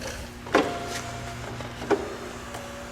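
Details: 2002 Saab 9-5 Turbo passenger window tested after refitting glass that came off its track: soft steady motor hum as glass travels up, light clicks, no grinding; regulator works normally.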